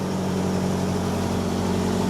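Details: 1948 Willys CJ-2A on a cold start after fitting a true 5/8" D&D BX40 belt, replacing an undersized 9/16" belt that slipped and stopped charging: steady, even idle with a smooth low hum and no belt squeal or chirp; normal idle.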